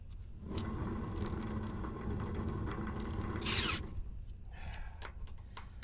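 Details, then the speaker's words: Carolina Skiff boat trailer wheel hub, cotter pin removed, slight play and nut adjusted, spun by hand: dry, gritty rumble and scraping; bearing sounds rough and worn, later replaced with new hubs and bearings. "What I don't like is how rough that sounds."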